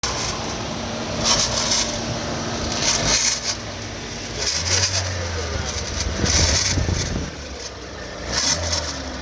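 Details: GM Ecotec engine running: steady low hum with recurring bursts of metallic death rattle from a failed turbocharger.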